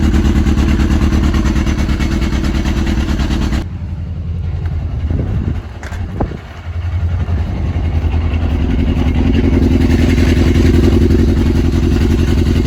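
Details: Yamaha RX1 1000cc four-stroke snowmobile engine, sat 6 years, warming up after ultrasonic carb clean and new fuel bungs, coolant just added: steady low drone with one brief dip and recovery, then even run; normal warm-up running.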